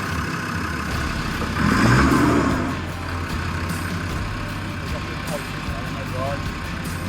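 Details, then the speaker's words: Off-road vehicle climbing Alti Badi, already suspected of stripped diff gear: diesel labours then sharp clunk about two seconds in, engine keeps running with all drive lost; something went bang in transfer box, auto box also possibly suspected. "Something just went bang in that transfer box. It did, yeah. Something just went ding. So you've got no drive at all now."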